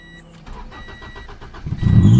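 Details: Honda Integra after resetting the timing, with a weird idle and suspected missing thermostat: a brief crank, then it catches and the revs flare and surge high instead of settling. The cam timing is a tooth out.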